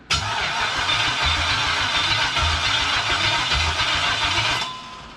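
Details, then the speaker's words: 1977 Pontiac Trans Am with a 5.3L LS swap from a 2001 Chevy Tahoe, first crank after splicing and extending the starter wire, no fuel yet: steady, even cranking for about 4.5 seconds at about four beats a second; starter works. "we got crank itch so you know what that means"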